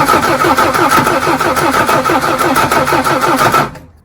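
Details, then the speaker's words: Mercedes OM617 diesel in a Jeep after new primer pump and rebuilt lift pump, first run in months, glow plugs used: rapid uneven cranking chuffs then fires and idles smoother; normal start. "Oh, that's great. I haven't heard that sound in months. I missed it. Man, it's idling smoother and everything."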